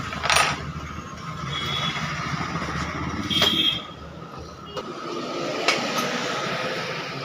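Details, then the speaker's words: TVS Ntorq scooter started after repair of a khatang-khatang knock, run without silencer: loud open exhaust blips and a few sharp pops, no clatter; knock stopped once parts were refitted properly. Normal running. "হৈ গ'ল, কাটাং কাটাং আৱাজ নকৰে আৰু। Fitting ভাল হ'ব লাগিব, fitting ভাল হোৱাৰ লগে লগে কাটাং কাটাং আৱাজটো বন্ধ হৈ যাব।"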